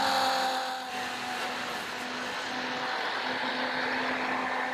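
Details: Flojet portable RV waste pump dumping grey water through a garden hose into a toilet, with an even, steady motor hum at constant pitch and no knocking or labouring; normal pump operation.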